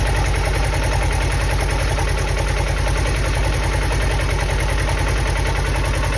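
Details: Polaris Xpedition UTV: loud, steady idle with fast low pulsing about three beats a second; engine noise present, source not identified.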